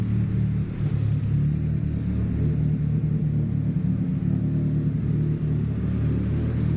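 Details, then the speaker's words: JDM Nissan Pulsar GTiR after about five minutes running: deep, steady rumble, even firing, no hunting, hiss or misfire; the issue was found, runs normally. "at this point she seems not too bad certainly that was the issue we have found the issue it's been running for a good 5 minutes"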